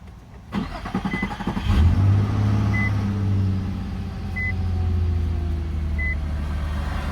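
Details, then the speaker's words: Infiniti M35, VQ35DE, after new valve covers, oil cooler seal and a leaking coolant line replaced: short crank, catches cleanly, settles into smooth steady idle with dash chimes about every 1.5 s; check engine light gone. "So I'm about to start it up."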